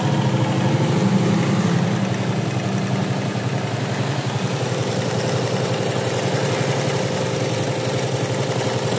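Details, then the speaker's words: Yamaha Jupiter Z after engine rebuild, previously seized and not running: smooth, steady idle with an even low putter, no knocks or rattles; runs normally now. "ya sekarang motornya sudah nyala dan nyala halus normal ya"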